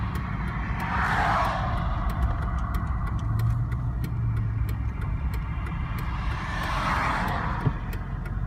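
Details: 2000 Chevrolet Z71 5.3 truck driven in 4Lo for over two hours, now with no reverse or third gear: steady low driveline drone with faint regular ticking. Suspected internally damaged transmission.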